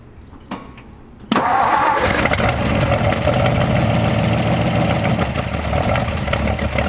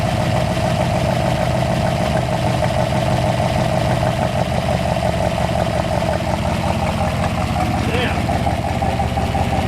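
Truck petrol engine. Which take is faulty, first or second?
first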